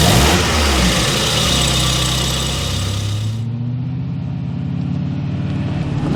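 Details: Mazda Miata engine idling after sitting a long while: light, fast valve-train clatter about four ticks per second over the hum, like noisy lifters; was worse at yesterday's start, improved after driving. Rislone oil treatment is added to try quieting it.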